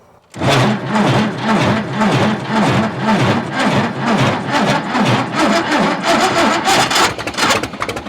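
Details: 1950s Caterpillar Traxcavator track loader diesel, long unrun, cranking with ether in the filter and throttle opened, smoke from the stack and fuel coming up: starter churns about two beats a second with uneven chuffs, trying to catch but never fires; cranks, no start, cause unconfirmed.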